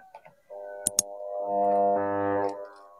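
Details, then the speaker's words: Philips hand mixer switched on: two clicks, then a steady buzzing hum with no speed build-up, motor stalled and not spinning; rust found inside on disassembly. "kan cuma dengung aja jadi di sini tidak mau berputar"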